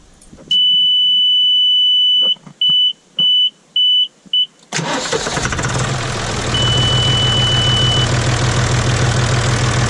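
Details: John Deere 5205 tractor diesel after replacing the Stanadyne DB4327-5913 injection pump and bleeding the lines; warning beeps, a short crank, then it catches and settles into an even, steady idle with no misses or leaks; normal idle.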